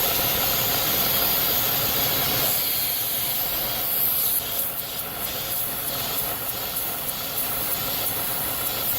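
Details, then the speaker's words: 3.6 L petrol engine idling higher than normal 700–800 RPM, check engine light with P0507: steady sharp air hiss from a vacuum leak at a split PCV valve hose; noise changes when hoses are moved. "That is why this 3.6 6 L is idling higher than normal. I have a vacuum leak right there at the PCV valve hose."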